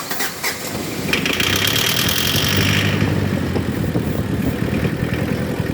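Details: Mazda WL diesel with hard-start problem, after priming the fuel pump: cranks briefly, catches and settles into a steady, even idle with no knocking or stumbling; runs clean once started.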